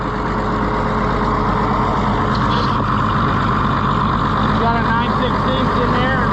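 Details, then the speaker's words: Allis-Chalmers WD tractor with a leaking fuel line: runs with an uneven, lumpy beat rather than a steady chug; rough running caused by the fuel leak. "That's the first time I've seen it. It started leaking again. That's why it was running rough too."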